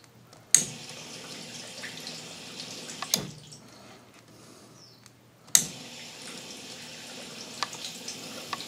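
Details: KitchenAid dishwasher that had power but wouldn't start, running after its relays were tapped to free a suspected stuck relay, with the door latch switch held: steady soft hiss of water filling with a few handling clunks; fill normal.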